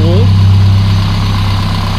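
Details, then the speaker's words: Peugeot 205 after a 4-month rebuild, now warmed up, at idle; the carburettor seems fairly well set. Steady, even low idle hum with no knocks or misses, running like clockwork: normal idle. "voilà un moteur eu le temps de chauffer il tourne comme une horloge"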